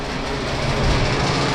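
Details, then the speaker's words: Walk-in freezer fan running after a repair: loud continuous rushing air with a rough, rattly clatter underneath, steady throughout; the fan is now blowing the right way, but something is loose and rattling. "that's just because this is rattling like this but we're definitely blowing the right way now"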